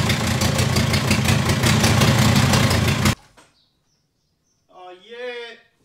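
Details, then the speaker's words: VW T5 Transporter with a swapped-in 1.9 TDI ASZ PD130 diesel (rebuilt head, new gaskets and cam) on first start, with the EGR pipe and boost pipes off and the downpipe unmodified, fires into a loud, coarse, fast clatter for three seconds; no leaks. "it's not leaking and I forgot to put the EGR pipe on that's why it sounds like a tank and it hasn't got the downpipe one"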